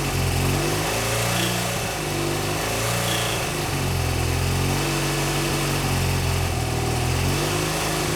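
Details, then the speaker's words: BMW R100GS Paris Dakar twin, first start after engine reassembly: lumpy, uneven running, beat wandering and stumbling as it settles; rough running, oil leaking onto exhaust pipe and smoking. Cause not stated. "i do still have quite a bit of work to do obviously the bike doesn't run great but it does run which is you know an accomplishment after taking an engine ap"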